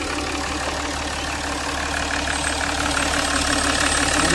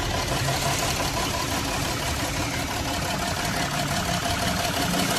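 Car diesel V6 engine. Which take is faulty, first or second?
second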